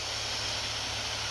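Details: Acer Predator Helios 300 (PH315-53, i7-10750H, RTX 2060) laptop fan at max speed after cleaning dust from the fans: even, steady airy rush with no rattle, ticking or grinding, noticeably less annoying than before.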